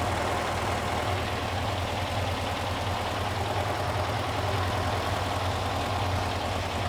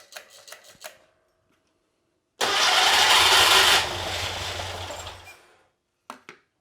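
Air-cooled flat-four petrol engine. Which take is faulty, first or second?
second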